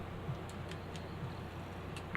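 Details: PlayStation 1 disc drive spinning a slightly dusty disc before the laser is cleaned: faint, irregular soft ticks in a quiet room as the laser seeks; the drive seems stuck and never settles to read the disc.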